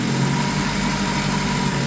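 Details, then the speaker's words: Honda Civic Si with a junkyard swap engine, after a leaking intake gasket causing a coolant leak was replaced: steady, even idle with a smooth low hum and no knocks or misses; clutch already tested; normal idle. "Sounds good. We already tested the clutch and everything. Everything's all A-OK."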